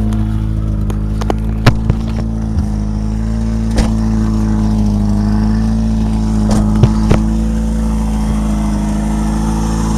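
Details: Honda Prelude: a steady, loud, deep engine drone with sharp irregular puffs and ticks on top, a bad exhaust leak.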